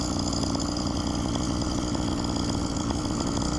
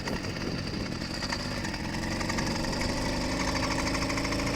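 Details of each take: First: Phantom 85 two-stroke engine with MS460 piston on a motorized bike, riding: fast, buzzy idle staying steady, clearly quicker than normal tickover; idle set too high, carburetor needs adjusting to idle down. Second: Stock YD100 two-stroke engine on bike with about 100 miles and no issues so far, fresh-started: quick, even putter firming up over several seconds; healthy idle.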